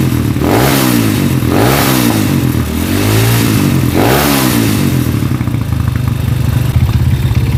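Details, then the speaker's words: Honda CB motorcycle converted to a stroke-up engine, vibrating badly: revved in several blips then held, with a coarse, clattery rattle from the head under the exhaust; very loose cam chain tensioner and worn connecting rod. "sekarang bisa kita dengarkan bahwa itu ada ke medik ya di bagian kop nah cakep menitip seperti klaker noken as sekocak seperti clave noken as gojek bahwa disini disini klaker noken as He kocak parah ya di sini"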